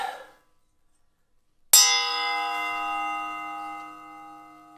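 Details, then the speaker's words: Table saw fitted with a Bosch thin-kerf blade meant for a cordless circular saw and not rated for this machine's revolutions: one sharp strike, then a bright bell-like ring with many high tones fading over three seconds. Wrong blade type, thin-kerf blade ring. "Yeah, different tone. This is the wrong blade."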